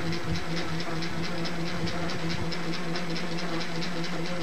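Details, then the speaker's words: 1961 Webcor Microcorder EP 2104 reel-to-reel tape recorder at power-up: the transport motor gives a steady low hum with an even tone and no rattle or dragging, showing decent torque. The speed selector doesn't work and a bad transistor is suspected; normal motor running. "that's pretty good torque for what it is I guess"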